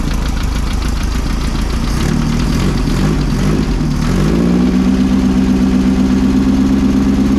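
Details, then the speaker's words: 1600cc air-cooled VW dune buggy on a cold day (mid-30s °F), after new spark plugs, oil change and correcting swapped plug wires on cylinders 1 and 2: rough idle settles into steady even drone, no stumbles; low-rpm load issue remains. "it's much happier that's not why it was missing before though I promise you that this sounds way better"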